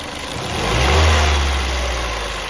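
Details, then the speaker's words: Ford New Fiesta 1.6 Sigma engine, already somewhat warm, on a quick rev and release: it swells and falls back toward idle with a dull knock from excessive piston skirt clearance; piston slap still present warm. "Pessoal esse esse motor tá com um barulho muito grande na saia de pistão tá inclusive ele já tá até um pouco quente já nem era para est fazendo mais esse barulho"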